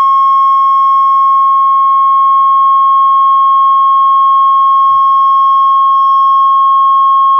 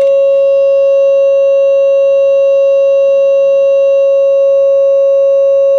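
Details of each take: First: Realtone Globepacer 11-band transistor radio after repair, original transistors refitted: steady ~1 kHz test tone, audio output starts clipping at 5.4 volts; turning bias down adds audible distortion. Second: Realtone Globepacer 11-band transistor radio audio amplifier after output bias adjustment, about 40 with 1000 ohms: clean steady ~600 Hz test tone with faint overtones; least distortion, more bias needed as volume rises.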